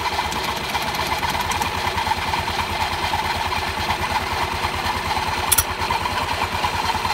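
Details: Honda Beat scooter during CVT service: engine catches and settles into steady even putter, no slipping or rattles from belt drive; CVT running normally.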